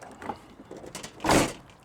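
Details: Lexus GX rear hatch: a single sharp slam with a brief metallic buzz trailing after it; the license plate frame rattles when the hatch shuts, and foam pads behind the plate did not stop it.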